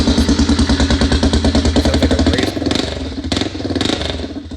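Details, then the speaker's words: Yamaha Raptor 660SE running with no muffler: very loud raw popping single-cylinder beat, about three pulses a second at idle, sharpening on blips; runs well, no smoke or knocking. "It is extremely loud without a muffler, though. It's actually runs really good, though. No smoke or knocking."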